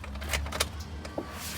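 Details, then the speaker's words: 2013 Duramax with FASS lift pump, after replacing fuel and water separator filters: faint thin electric whine behind clicks as the lift pump runs to purge and prime the fuel system; normal. "hear whine for a little bit and hear the motor whine until it flows over with"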